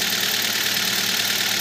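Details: Kia Spectra whose drive belt squeaked on morning starts, after spraying belt conditioner: even, quiet idle with a constant tone and no belt squeal; normal idle.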